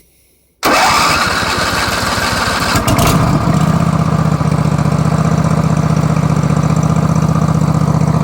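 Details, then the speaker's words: Craftsman truck after a complete fuel system flush, choke pulled, carb and fuel pump dry: the starter churns for a few seconds, then the engine catches and settles into a steady thumping idle. Extended cranking until fuel reaches the dry carburetor. "Better pull the choke. Carb and fuel pump are dry."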